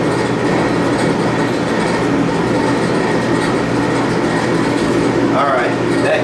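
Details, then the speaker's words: Admiral AED4675YQ1 clothes dryer after new heating element, thermal fuses and thermostats, cleaned timer, and new tub bearings, belt and tensioner: steady even drum rumble with no squeal, scrape or grinding; bearings sound great, heat works, fixed. "okay she's fixed completely now the bearings are all sounding great uh the heat works"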